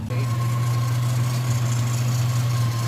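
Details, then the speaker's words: Warm idle on a 1995 Nissan Pickup 3.0L with about half a million miles, which had been cutting out once warm, after PCV valve replacement and idle screw adjustment. Idle was about 500–600 rpm and rose on its own, a steady smooth hum with no knocks or misses. Normal warm idle. "it's been warming up and it was that about 500 or six and it's actually gone up on its own"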